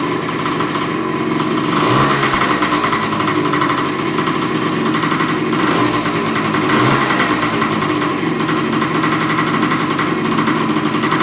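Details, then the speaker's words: Suzuki TS125 two-stroke after simple top-end rebuild, started stone cold after kickstarting: crisp, even crackle at steady idle with no misses, knocks or rattles; normal healthy idle. "So what I'm going to do now is I'm going to go ahead and start it. This bike has not run today. It normally takes, when it's stone cold, 3, maybe 4 jabs on a Kickstarter to get it started. But we'll see how she fires up and you can hear it run."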